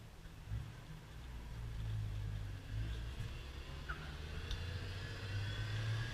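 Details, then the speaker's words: 1971 Ford truck with a manual transmission and electronic ignition, driven cold and pulling away in second: a low engine drone under load with a faint gear whine climbing. This is normal transmission whine from a torquey motor. "it's got that you know you hear you can hear the kind of the wine coming through the transmission it's a nice torquey motor"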